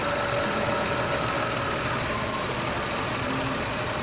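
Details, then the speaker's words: Petrol car engine after oil change idling with steady even hum and no knocking; before, it made a clanging knock. "got some oil in it but oh that's high it doesn't make that noise so interesting"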